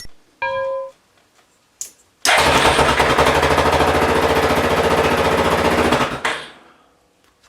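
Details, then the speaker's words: Yamaha Grizzly 450 ATV with new battery replacing a 7-year-old one that showed 12.5 V but lacked cranking amps; quick, strong cranking catches promptly and runs evenly before shutoff; battery was the issue. "So the battery was the issue."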